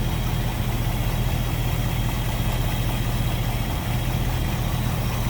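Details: 1955 Ford Fairlane Crown Victoria V8 with Edelbrock carb: deep, even idle with a steady low rumble, no knocks, ticks or misses; normal idle.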